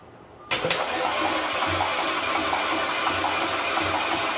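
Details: Audi 2.0T engine prepped for first startup: serpentine belt fitted, oil filled to about 4.7 liters, fuel system disabled. Starter holds a steady whirring crank with faint slow pulses, never catching; engine turns over freely, normal cranking.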